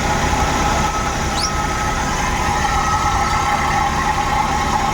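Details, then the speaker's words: Suzuki Every Wagon (DA64W) after refitting the ignition coils and spark plugs (anti-seize on the threads), restarted to check for misfire: an even hum with a constant light whine, no skips; clean normal idle. "Check natin ulit kung may Miss firing pa rin siya So paandarin na natin So Ayan Ayos na so observe muna natin kung magbabago pa rin yung andar"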